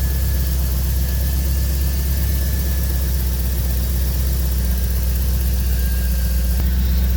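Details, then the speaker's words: 1985 C4 Corvette after fuel pump replacement, idling with about 40 psi fuel rail pressure: a deep, steady idle with an even beat and no stumbling. Normal idle. "all right so we're idling at 40."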